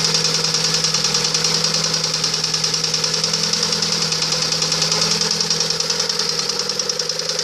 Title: Стук двигателя приора